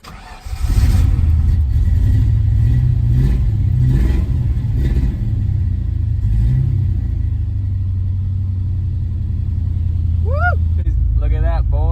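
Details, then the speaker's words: Ford Mustang GT V8 after gas tank refurbishment, new fuel pump, level sender and fuel filter: catches quickly, clean revs, steady smooth idle; no longer dies. "cool so it runs now again it doesn't die anymore it's got gas so that's a that's a big step done"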